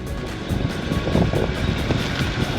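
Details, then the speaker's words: Land Rover Discovery 3 (LR3) crawling off-road with dull thumps and scraping knocks underneath as the side steps strike a stone or old stone wall and bend upwards; side steps hit an obstacle. "you hear that thumb that's a sound of side steps getting bent upwards on a stone the only good thing about that noise is it usually means that you're going somewhere good"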